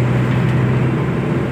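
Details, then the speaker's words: Maruti Omni after rear crown (differential) bearing repair, driving: steady low road hum, no whine or growl building with speed; previously loud crown noise, now quiet like original. "बिल्कुल भी जैसे original company से आती ना वो आवाज है गाड़ी की यह देखो इतनी प्यारी चल रही है"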